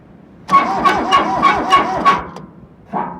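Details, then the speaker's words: Kubota B7100 tractor, sat about 10 years in a collapsed barn, first start attempt after glow-plug preheat: cranking about three strokes a second with a sharp whistle each compression from the exhaust; owner suspects clogged exhaust, unclear. "It's coming out of the exhaust, so what does that mean? Maybe it's like the exhaust is clogged up and it's making like a whistling sound or something."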